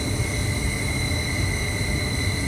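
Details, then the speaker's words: Carrier 58CVA110-20 natural gas furnace, Jakel J238-150-15217 inducer motor: steady high-pitched whine over the running hum, loud enough to ring through the house; worn inducer motor bearing, fixed by rebuild/replacement. "anyways i've been having this terrible whining sound come from the inducer motor"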